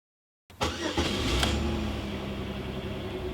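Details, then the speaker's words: Chevy Malibu after anti-theft (VATS) bypass by turning the key to on and waiting for the fuel gauge to move: brief crank, then clean fire, flare and steady idle, starting normally. "so it only took a couple seconds to wait and then I can turn the car right on and all is good"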